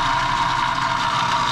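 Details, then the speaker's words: Three-phase motor starter on a 208 V system (reading only 193–194 V) for a fresh air intake/exhaust fan: with the starter switched to hand, the contactor gives a steady, harsh electrical buzz near 1 kHz, trying to pull in but not, though coil voltage seems present. "oh there's the contactor trying to plunge in so it seems like coil voltage would be there and it's trying to start but it's not doing it"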